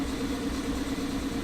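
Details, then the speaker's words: Toyota MR2 petrol engine idling: faint, uneven stumble in an otherwise steady hum. The misfire was absent from a stone-cold start and appeared as the engine warmed; a code reader flagged a cylinder misfire and a coil pack is suspected. "as you might be able to hear it's got a little bit of a misfire and it didn't when he first started up why don't you was stone cold and it started up no misfire but as it's got a little bit warmer"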